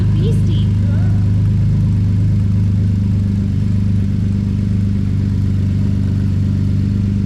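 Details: Ford Police Interceptor Utility (Explorer), first start after replacing twin turbos and reassembly: very loud, raw, deep idle drone with a harsh uneven throb and no muffling; exhaust thought not hooked up, nothing coming out of the tailpipe.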